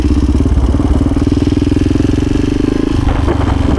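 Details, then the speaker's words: 1986 Honda HRC XR628R (XR600) dual-carb single on road test after rejetting, 140 secondary jet fitted: crisp, even firing pulses climbing cleanly as the throttle opens, no popping or spitting, pulls strongly in first and second off idle; normal acceleration. "Oh yeah, she pulls good. She pulls good. That feels a lot like my 650."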